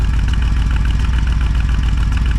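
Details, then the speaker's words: 454 big-block V8 in a Honda Civic, first test drive, warming up with choke still on: deep heavy lope at cold idle with odd uneven beats; slight intermittent misfire while not yet warm. "Minus a little skip here and there. Awesome."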